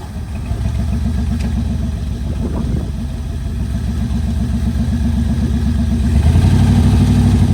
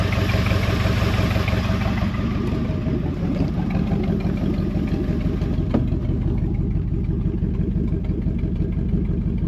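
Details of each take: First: 1973 Mercury Montego GT, 400 cubic inch Ford V8, C6 transmission, sat ten years: low, uneven lumpy idle near four pulses a second, stumbling as revs rise; carburettor accelerator pump squirting fuel straight out, owner suspects he messed something up. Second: 1973 Mercury Montego GT, 400 cubic inch Ford V8, sat ten years, first start: steady, even low rumble with smooth regular exhaust beat and some glass pack sound, no knocks or misses; oil pressure mid-gauge, floppy belt needs replacing.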